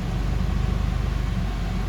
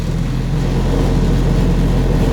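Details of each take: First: Honda Civic with swapped F23A four-cylinder, after cold start and warm-up: even low rumble with steady, regular pulses and no misses or knocks, a normal smooth idle. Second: Honda Civic with swapped F23A engine run without an idle air control valve, cold start with a janky eBay exhaust and parking muffler: fast, steady cold idle that drops and settles lower as it warms, high cold idle without IACV.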